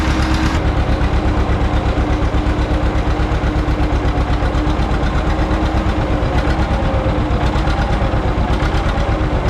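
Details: John Deere 530 old two-cylinder tractor idling in winter, not run since hay-wagon use after a no-start with a shot battery; slow, even putt-putt nearly three pops a second, deep steady beat: healthy normal idle.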